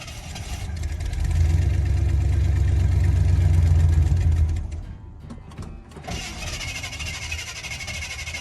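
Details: 1983 K20 (C10 body on a 4x4 frame), V8, parked all winter in an Alberta field with a low battery: runs steadily, then sags and dies after about four seconds. The owner thinks it is drawing water from the fuel tank.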